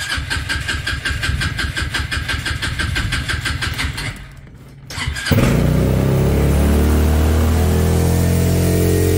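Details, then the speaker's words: Trailmaster Challenger 300 go-kart side by side that died after stopping due to a broken carburetor, now with a new carburetor before adjustment: rapid cranking, then fires and holds a steady, slightly high idle without dying; steady fast idle. "i feel like the rpm is right it's going fast but it didn't die so that's a good start"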